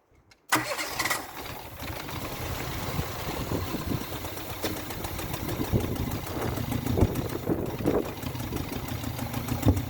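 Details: Renault Clio engine in a destruction test, oil drained after a dish-soap flush, no oil, leaking: it cranks and catches on hairspray, then idles rough and uneven with scattered clatter and pops after hydrolock.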